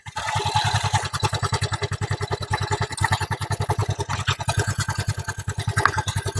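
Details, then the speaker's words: Honda Vario 110 carburetor scooter after carb adjustment for unstable idle and hesitation; even, steady single-cylinder putt at about 1000 RPM, raised to 1200, no stumbles or surging: normal stable idle. "oke ya untuk langsam jos stabil di 1000 rpm kalau ini tak naikkan lagi 1200 oke"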